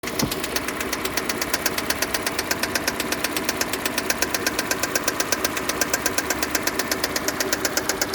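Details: 2015 Kia Sportage 2.0 G4NA engine at idle with a sharp, regular metallic ticking about twice a second, evenly spaced; an internal engine knock, cause undetermined.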